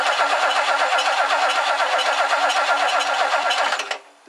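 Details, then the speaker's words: 1969 Lincoln Mark III after tune-up, belt tightening and distributor cleaning: even starter cranking about four beats a second for four seconds, never fires; crank-no-start with no spark, owner suspects a failed coil and poor plug wires. "no spark this coil is in rough shape I wonder if the coil just totally gave out"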